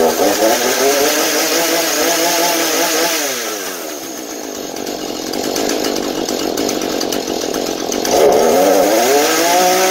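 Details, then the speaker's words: Husqvarna 435 chainsaw on fresh mixed fuel, after stale fuel had stopped it holding idle and made it die at high speed: it idles and revs cleanly to high rpm again and again. "Nó duy trì trạng thái chạy không tải và vòng tua máy hoạt động bình thường ở tốc độ cao."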